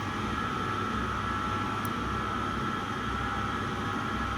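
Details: Candy condenser tumble dryer running: a constant rough grinding rumble with a mid-pitched whine from worn drum support wheel bearings, which were replaced.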